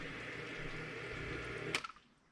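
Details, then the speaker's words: New one-third horsepower sump pump with quiet check valve, replacing a ~20-year-old pump with bad bearings: steady soft water rush with low hum, stopping with a brief clack at shutoff; normal quiet run. "i'll i'll now uh throw on some video of the pump running so you can see how quiet it is"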